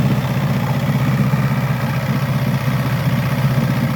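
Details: 1964 Glasspar Super G boat outboard after its second or third start of the day, tends to lose prime overnight: low burbling two-stroke idle, steady and even, no stumble or misfire; normal idle.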